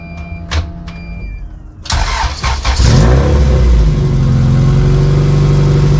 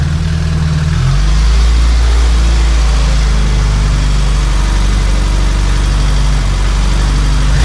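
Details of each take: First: Honda CRX with LS-VTEC swap, idling on driveway after large muffler replaced, with cheap aftermarket mid-pipe: cranks, catches, steady idle with raspy, buzzy exhaust edge; deep loud tone gone, owner suspects resonator not working. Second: Honda CRX with LS-VTEC swap, after fully welding the new muffler seam, turn-down and hanger: deep smooth exhaust drone at idle then clean rise pulling away, no rasp; rasp was from the muffler not fully welded on.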